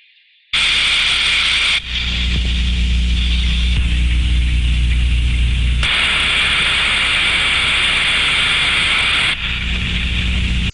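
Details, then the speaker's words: Thermodynamic disc steam trap heard via ultrasound contact module on the outlet: rushing hiss swells as trap opens and cuts off quickly on closing; normal steam trap cycling. "as we can hear from that sound file there we can hear the increase of turbulence as the trap opens and then the fast quick reduction in sound from turbulence as the trap closes again that tells us that this is a good steam trap"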